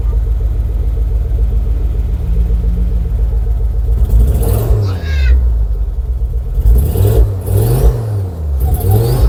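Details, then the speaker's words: 2006 Ford Focus ST225 first running in over a year: revs climb unevenly, flat and rough, struggling to pull, with smoke; head to come off, cause unconfirmed. "so I guess in this very short video I guess head's got to come off and need to investigate a bit more but it has got it's got no engine man has it actually"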